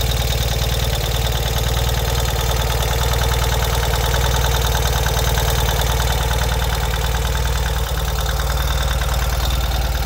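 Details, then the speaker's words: 2023 Ural sidecar motorcycle idling cold at 20°F shortly after cold start: steady idle with light even valve clatter over a firm low note, no knocks or misses; extra cold-engine noise is normal; normal cold idle. "so you are going to hear additional engine noise when it's cold you hear different noises on every piece of mechanical equipment when it's cold so that's uh you can hear the the engine making some different sounds perfectly normal"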